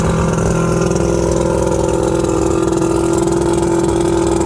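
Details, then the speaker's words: 1979 Steury X150 boat's 90 hp Johnson Seahorse V4 two-stroke outboard, out of gear, telltale plugged: even steady burble at constant tone, no misses or knocks; runs good, could probably use new plugs. "all right i think i say that runs good probably could use some plugs and stuff but and use a good running too good and cleaned out but i'd say that's success"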